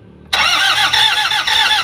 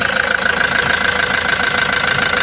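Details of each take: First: Toyota Hi-Ace van with a 1KD diesel, already given a new suction valve, cleaned EGR and checked timing belt by another shop: steady cranking with even compression pulses about four a second but it never starts; the high-pressure fuel pump is damaged. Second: Toyota Hiace diesel van that arrived not starting, previously had its suction valve replaced elsewhere; after refitting the pressure pump it runs at an even, steady diesel idle with no misses, knocks or hunting — normal idle.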